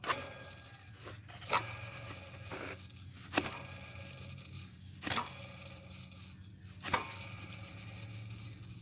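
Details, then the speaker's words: 2001 Chevrolet Blazer 4.3 V6, 165k miles, belt off: idler pulley spun by hand gives a gritty, rough rumble, the owner noting grinding and that the bearing doesn't sound good; worn idler pulley bearing. "that bearing don't sound too good"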